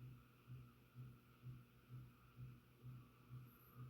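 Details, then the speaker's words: Garage ceiling fan motor, heard up close after speeding up: a low steady hum around 120 Hz throbbing about twice a second. The motor hums, alongside an unexplained buzz/rattle with no cracks or loose screws on the blades. "but like if you get close to the fan you hear the motor hum hum hum hum hum"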